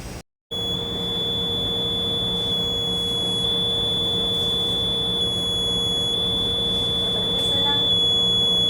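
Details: Fire alarm automatic detection system checked on a customer call during preventive maintenance: a steady, unbroken high-pitched alarm buzz holding one tone in a small room, triggered by a faulty smoke detector; a battery problem is also mentioned.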